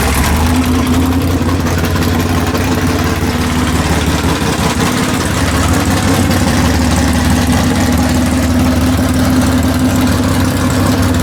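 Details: Rod knock in the V8 "Calamity Jane": a loud, lumpy idle with a dull rhythmic knock about three times a second under the exhaust. A screwdriver held to the block picks it up low but not at the head, pointing to a worn crank rod bearing.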